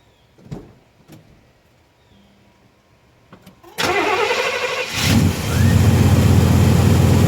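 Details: 1990 Chevrolet K1500 5.7 L 350 V8, automatic, after repairing an exhaust leak at the manifold-to-pipe junction crush gasket: a few clicks, then a steady, even idle with no puffing or ticking.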